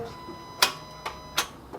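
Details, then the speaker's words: 9th-gen Honda Accord right after a coolant drain and refill: a few sharp single clicks about half a second apart with no cranking; starter clicks but won't turn the engine, owner suspects a bad starter. "oh but it sounds like the starter did click it did i did hear a click yeah i wonder if the starter is bad"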